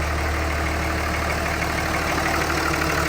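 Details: 2003 Ram 5.9 Cummins diesel, first startup after an injector swap with the lines cracked and bled while cranking: steady, even diesel clatter at idle with no stumble or miss, so it is idling cleanly.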